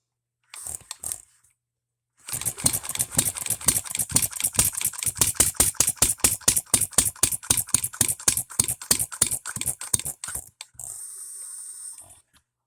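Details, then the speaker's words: Economy hit-and-miss engine after new piston and rings, hand-flipped with starting adapter: sharp even ticking about four per second, no solid power beats, running rough; owner suspects timing advanced too far, firing too soon, possibly too rich. "okay guys it's been about 15 minutes of me sitting here monkeying and tinkering and just general with this thing I think I have the timing way too far we're firing a lot sooner"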